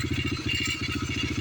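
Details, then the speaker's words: Yamaha TTR125 after carb fix: engine starts and idles with an even, steady single-cylinder thump, no hunting, and no fuel leaking at idle; old oil still in; normal idle. "well it's running and uh we're not leaking gas while it's running while we're idle so that's good"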